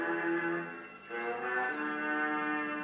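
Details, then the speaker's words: 1939 Philips Radioplayer Model 1941 with a field coil speaker, recapped and working, playing music from a phone through the auxiliary input at full volume: clean but feeble output, the input signal is too weak and needs a preamp. "let's play now turn the volume right up that's it that's all i get out of it"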